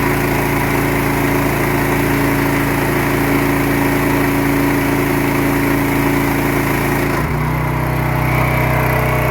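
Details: Pressure washer small engine with white oil (water leaking into the crankcase suspected), pressure increased while running. It holds a steady drone, then the pitch drops and settles lower as the pump loads it; it pulls the load without stalling.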